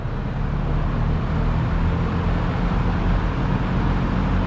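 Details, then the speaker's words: Early-1970s all-metal 3-speed Kmart box fan with thermostat, after cleaning and oiling the motor, on medium, mic toward the back: steady smooth low whoosh, no rattles, ticks or wobble; quiet, normal. "I think it's so nice and quiet. That's what I like about these old Kmart fans. They're just ultra quiet."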